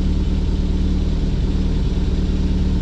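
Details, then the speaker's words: Austin America (Mini) with SU carburetor, after a new fuel filter, fuel pump repair, new battery and idle adjustment; steady, even low rumble with no stumbles; smooth idle. "okay i mean right now it it's not running bad yeah it doesn't sound like so"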